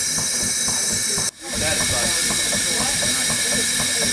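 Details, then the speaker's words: Overtype single-cylinder steam engine with top valve gear, boiler steamed up for first time in 30 years: steady steam hiss with soft regular beat, even and unbroken; normal running on first startup. "a good first startup. Very good."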